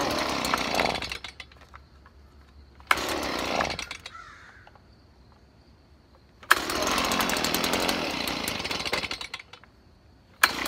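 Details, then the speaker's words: Stihl BG 55 leaf blower after carburetor cleaning, fresh gas and choke off: snaps up to full revs in bursts, then drops to a quiet steady idle, running smooth; owner blames bad gas plus dirty carburetor for earlier rough running. "well sounds like it's running pretty smooth they probably mixed between the bad gas and the dirty carburetor"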